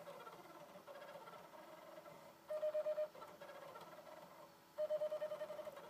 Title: Xbox 360 slim strange noise when reading disc